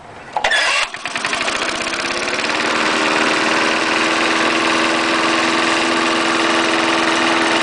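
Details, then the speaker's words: 1974 Snapper mower, trash-picked, fresh gas after dry tank, previously started cold: a couple of pulls, then a steady even putter that smooths out quickly; starts easily and runs well. "yeah it's so nice more starts right up yeah that first start I did started right out it was cold I did not start it prior to this video"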